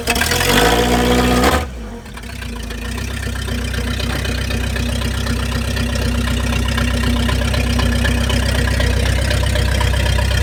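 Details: 1953 Packard straight-eight, cold start, then pulled itself out of a deep hole in low. Starter whirr, catches and settles into smooth even low idle, no knocks or misses; healthy.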